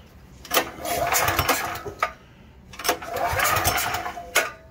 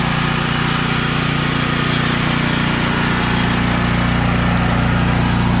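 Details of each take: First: Troy-Bilt XP 10,500W generator (model 030477), Briggs & Stratton 2100 series engine, with choke on and carb off for starting fluid test: two short cranking bursts that never fire; no-start attributed to bad gas. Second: Troy-Bilt XP 10,500-watt generator (model 030477, Briggs & Stratton 2100-series engine) after carburetor replacement and tank/line flush for bad gas, on ethanol-free treated fuel: strong, even drone with steady low thrum, no surging or misses; running properly.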